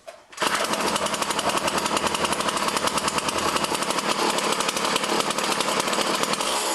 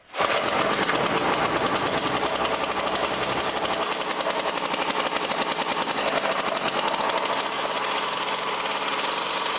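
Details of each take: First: Poulan Model 117 string trimmer after a tune-up, having sat about 3 years, with its throttle cable readjusted: steady, buzzy two-stroke idle with an even popping beat and no hunting; spindle doesn't turn at idle, so the clutch works. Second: Poulan Pro Model 117 two-stroke trimmer on premix, stored about 3 years, after tune-up: fast, steady buzz that never drops to slow idle, backing off the idle screw barely helps; high idle, possibly from the throttle cable sheath binding and holding the throttle open.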